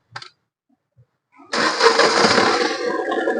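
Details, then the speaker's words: Mahindra KUV100 with heavy misfire, worse with AC on, and poor pickup; cranks then catches into shaky uneven idle with strong vibration and tak-tak knocking as one or more cylinders not firing; cylinder misfire. "Start ചെയ്യുമ്പോൾ നല്ല രീതിയിലുള്ള engine vibration ആണ് ഇതിനകത്തോട്ട് നോക്കി കഴിഞ്ഞാൽ കിടന്ന് ടക്ക് ടക്ക് ടക്ക് ടേ എന്ന് കിടന്ന് അടിക്കുന്നത് നമുക്ക് കാണാനായിട്ട് സാധിക്കും ഏതോ ഒരു സിലിണ്ടർ അല്ലെങ്കിൽ ഒന്നിൽ കൂടുതൽ സിലിണ്ടർ വർക്ക് ചെയ്യാത്തത് കൊണ്ടാണ് ഇത്രയും രീതിയിലുള്ള വൈബ്രേഷൻ വരുന്നത്"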